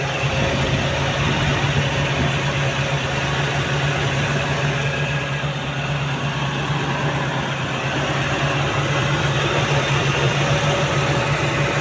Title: faulty thermo sensor on a 3RZ Toyota engine. hard start in the morning and rough idle.